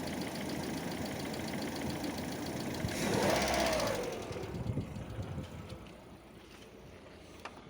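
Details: Lada Vesta hydraulic lifters tick lightly and evenly, about three per second, over a smooth idle during warm-up, fading as it settles; occurs in warm and cold weather, sometimes disappears once fully warm.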